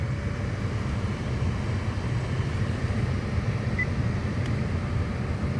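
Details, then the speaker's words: 2nd-generation (2012–2018) Acura RDX after HVAC blower motor replacement, fan at maximum with engine running: steady even air rush, no rubbing or ticking; new blower working normally. "have air coming out. No weird noises. And I can hear that the blower motor is running. Everything seems to be fine."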